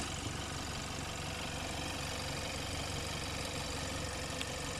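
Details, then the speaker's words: 2014 Hyundai Santa Fe started during a pre-purchase inspection: even, steady idle with no knocks, ticks, misses or exhaust leak; engine sounds smooth and healthy. "start the car and listen there is no exhaust leak everything here sounds good"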